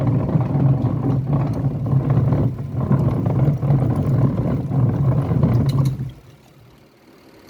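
Deep uneven rumble with a rough churning beat runs steadily, then stops at six seconds; the wash drive is rumbling under load.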